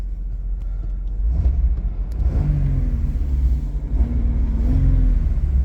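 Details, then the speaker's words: 1995 Chevrolet S10 Blazer V6 on a cold Ohio winter day: deep, smooth rumble rising and falling with each rev, no knocks or ticks; sounds pretty good, pulling cleanly. "sounds pretty good it's just really weird not having a tachometer"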